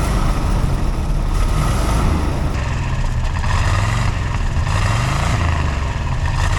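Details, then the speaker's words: 1970s Chevrolet C-10 Custom after sitting about 30 years and being locked up, running after carb cleanup: deep rumbling idle surges and settles without stalling; idle too low, needs turning up; oil cap blew off, smoke off headers. "I probably need to turn the idle up a little bit because, I mean, it seems to run okay, but just it's not idling."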